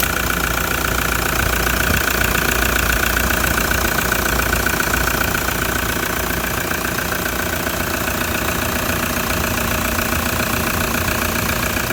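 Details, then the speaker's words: Cold old diesel engine at idle: steady, even diesel clatter of roughly two knocks per second with no misses or odd knocks. A normal, healthy cold diesel idle. "let's get this called clattery old diesel start it up and see what happens"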